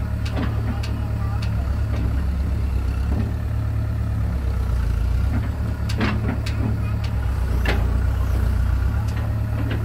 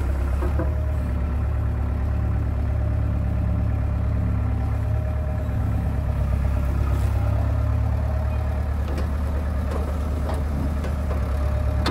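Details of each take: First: John Deere 490E excavator with Hitachi hydraulic pump, computer bypassed, before limp mode; steady diesel drone sags as hydraulics take load, choking down on swing and bogging easily with a loaded bucket. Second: John Deere 490E excavator with Hitachi hydraulic pump, computer bypassed, pump put in limp mode; deep steady diesel drone holds even speed under load without sagging, slower but no bogging.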